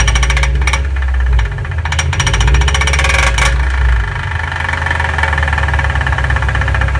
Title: Rattle sound